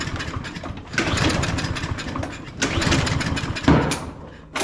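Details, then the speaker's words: Craftsman M230 push mower, hard to start, smoking and barely staying running: repeated pull-cord cranking bursts without catching; suspected flooding, oil in the cylinder or poor fuel quality, not confirmed. "does not want to start, so let's use the carb cleaner again."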